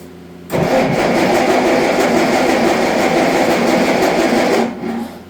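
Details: Allis-Chalmers D19 tractor that sat about 20 years, with its cleaned carburetor reinstalled: cranks, catches and runs rough about four seconds, then dies; won't keep running, likely starving for fuel.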